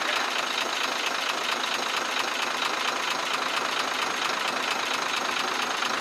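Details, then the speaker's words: Truck six-cylinder 24-valve diesel at idle, intake pipe opened for checking: light, fairly even tick about two per second plus a chuk-chuk sound; tappets or injectors suspected, not confirmed. "यहां से आवाज वाजे चुक चुक की सुनाई दे रही है इस आवाज को चेक करने के लिए हमने यह पैप खोल रखा है"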